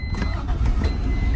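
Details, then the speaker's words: 1991 Acura NSX, one owner, 23k original miles, 5-speed manual, Arizona car: quick catch and settle into a low, even idle without stumbling or odd noises; starts right up, healthy. "the car starts right up."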